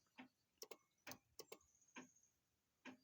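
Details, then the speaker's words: 2001 Pontiac Firebird, key on while rewiring a window switch: irregular sharp clicks about once a second as relays chatter from a dead battery. "this thing is tripping out look at that we're gonna go ahead and fix that problem right now before we even get started because i'm not gonna deal with all that ticking and thumping and all that crap"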